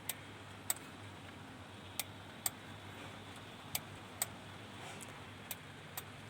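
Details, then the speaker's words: Denon AVR-2113 receiver that won't power on: sharp relay clicks about every two seconds, slightly uneven. The protection relay cycles as the 5.2 V supply rail drops with each click, and leaky capacitors were found on the board. "Relay की tuktuk की आवाज इसमें आती है। जैसा कि आप सुन सकते हैं। कुछ सप्लाई के ऊपर हम ध्यान देंगे। 5.2 स्टेबल रहना चाहिए। जब ये रिले की आवाज आती है इस पे तो यह ड्रॉप हो रहा है।"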